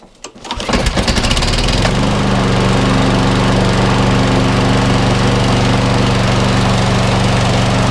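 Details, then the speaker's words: 2013 Viking MB545VR mower, Briggs & Stratton engine after bent crankshaft replaced with one from a 19-year-old Hayter Harrier donor, fresh oil and fuel: pull-start catches within two seconds, settles to steady even beat, no knocking; runs normally. "yeah it looks fine looks fine guys for me sounds like a perfect yeah"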